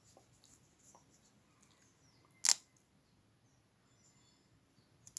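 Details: Farmall Super A tractor ignition coil bench-tested with battery leads: two crisp snaps about three seconds apart as a fat spark jumps from the negative to the coil center. The coil is good.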